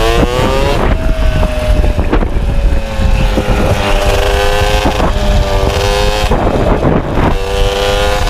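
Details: MBK 51 two-stroke moped after revival: loud buzz revving up and down but stuttering and burbling unevenly at low revs; owner feels it stumbles at low rpm, suspects mixture too lean or too rich, plans spark plug colour check to adjust.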